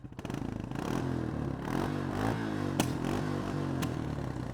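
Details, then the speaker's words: 2000 Honda Foreman 450 ES with cheap aftermarket carburetor and shift bypass kit, after engine work: lumpy single-cylinder idle with blips and a couple of sharp exhaust pops; runs surprisingly well, no visible smoke at idle. "A little bit of a pop there. But like I said, I'm surprised it's running this good with that carburetor."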